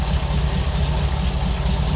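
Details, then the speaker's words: 1975 Ford Bronco being restored, V8 after sitting 20+ years: low, steady, even rumble with no knocks or misses, healthy sound. Shows 50 psi oil pressure afterward; normal idle. "I'm gonna start it up for you. Let you hear how this Bronco sounds and runs even after sitting for 20 plus years."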